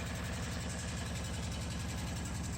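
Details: Small air-cooled four-stroke spark-ignition gasoline engine cold-started in freezing winter with the choke on; steady, fast, even chuffing at a high pulse rate with no misses. Fast idle on choke.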